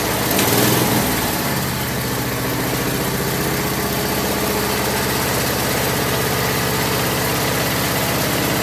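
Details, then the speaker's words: Craftsman lawn tractor after no-start repair with new carburetor parts including float needle valve, idle over a year, full gas tank, warming up: steady, even single-cylinder putter at idle, no knocks or misses; normal idle. "I'm gonna open the shop door and take it outside, let it run for a while and warm up."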